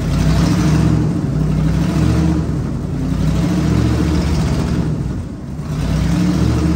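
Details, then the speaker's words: 1967 Ford F100 V8 after 28 years sitting, running on a little choke. Steady deep rumble with a slight rise and fall in speed, no knocks; smoke comes off the valve covers but it fired up easily. "I mean, there's smoke coming off the valve covers where it's been sitting so long, but I mean, 28 years it's been sitting and it fired up that easy."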